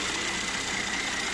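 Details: Mercedes-Benz E400 with 3.0 L M276 biturbo engine (333 hp): after a frightening-sounding engine knock, spark plugs were checked and changed; now a quiet, smooth idle with only a soft hiss, no tapping or knocking left.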